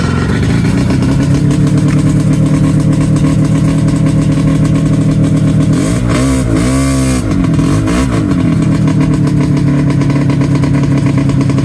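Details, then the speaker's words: 1994 Yamaha V-Max 500 snowmobile two-stroke with non-stock exhaust, idling with a quick rev: loud, raspy, blatty note from bad exhaust leaks. "As you can hear, the exhaust leaks are pretty bad."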